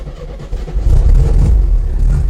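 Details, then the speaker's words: 1968 VW Type 3 Fastback, carbureted, cold start after IRS subframe, engine and transmission install, sat a couple of days: short crank, catches right away and settles into a steady, even low rumble, reluctant to rev while cold; no fuel leaks; normal cold start. "There it is. This car is always started up nice and easy. All right, I don't see any fuel leaks. That's good. Nope, nothing. Obviously it's cold. Doesn't want to rev yet."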